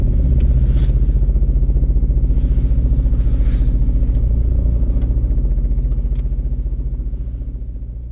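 Heavy, regular low thumping at about four beats a second that fades as revs drop; an odd two-stroke clatter, cause unknown.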